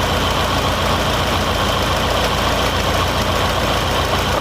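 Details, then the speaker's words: Fiat Palio with GM engine (title says 1.8; 1.6 also mentioned), misfiring with check-engine light after refueling, fuel already replaced; rough uneven loping idle with irregular stumbles, misfire traced to cylinder 2 after plug lead and coil tested fine; injector feed test shows fault, likely failed injector. "Então já identificamos que o problema está no segundo cilindro"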